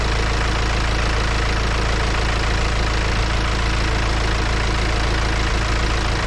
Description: My BMW X1 18d F48, diesel engine, is doing a strange noise when stopping the engine.